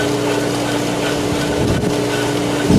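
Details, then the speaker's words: Polaris booster pump starting with air in the line after draining the solar heater: loud steady drone with rough gurgling surges, cavitating, grinding and vibrating until it purges air and holds prime. "we're going to get that really really loud so and getting rid of the cavitation and the ground and vibrate"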